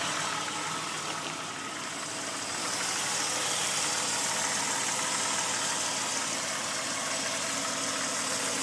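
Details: 1999 Jeep Grand Cherokee Limited 4.0L I6: light steady tapping at idle, about three per second, over a hissy idle; mechanic diagnosed piston slap at the wrist pin, noise expected to worsen with mileage.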